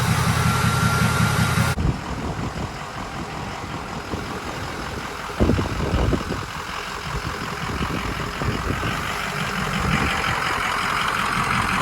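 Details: 6.0 Powerstroke King Ranch with new KC Stage 2 10-blade VGT turbo, idling through vane relearn: diesel clatter with high whistle as vanes close, slowly shifting to deeper tone as they open; normal.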